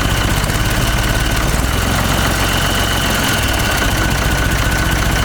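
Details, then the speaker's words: Ford 3600 tractor diesel after second CAV injection pump rebuild freeing plungers gummed by old diesel: restarts on its own and settles into a steady, even diesel clatter at idle with no stumble or misfire; runs like a charm. "good stuff like a charm okay so what it was it was those plungers inside the pump itself that really locked up the gum from that old diesel"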